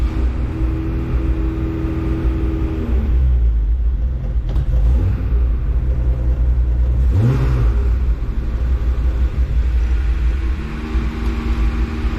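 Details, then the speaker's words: BMW E30 with slow starting and rough running: engine note sags and stumbles about half a second when throttle snapped wide open, then pulls roughly; owner suspects low fuel pressure, untested, before fuel filter replacement. "hopefully you can see that well in the footage but basically i hit full throttle and there's like a half second delay and you know i'm pretty sure it's coming down to just fuel pressure"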